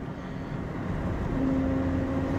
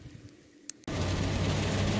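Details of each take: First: 2004 Chevy Tahoe on a road test around 25–40 mph: steady mid-pitch whine over road rumble under throttle, louder with speed, gone off throttle; suspected worn front differential ring and pinion gear and bearing. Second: 2004 Chevy Tahoe road test at 40 mph after replacing the front differential that whined under throttle around 40 mph: even tyre and road rumble with no whine; front diff now quiet.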